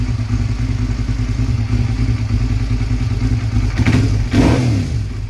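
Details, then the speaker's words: Cold first start of a two-cylinder engine: lumpy, uneven low thumping that stumbles and loses beats as the throttle opens, running on one cylinder; owner suspects a bad spark plug. "yeah but you'll hear it it'll it'll cut off one of the cylinders and it'll run real rough so I'm starting to think that my sparkplug might be an issue"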